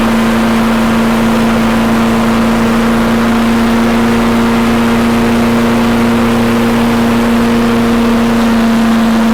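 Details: Toro Recycler mower after handle bar, throttle and self-propel cable replacement and carb cleaning, fresh gas, old oil: small single-cylinder engine holds a steady, even hum with no misses; running cleanly.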